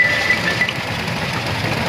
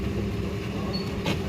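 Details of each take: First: Toyota Vitz petrol engine idling unevenly with an irregular stumbling pulse, a misfire with the warning light on. DTC P0353 ignition coil C (No. 3) primary/secondary circuit; the coil connector lug is broken and will be replaced with a new connector. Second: Toyota Vitz started at idle after repairing fault code P0353 (ignition coil C primary/secondary circuit misfire): steady, even low hum with no stumble or miss; warning light now off and no trouble codes remain.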